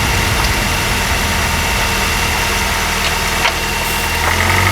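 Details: Honda R20A3 engine, cold idle, mic in engine bay: loose, uneven tapping about four per second; suspected piston slap, not confirmed, louder in colder weather and disappears after a few minutes.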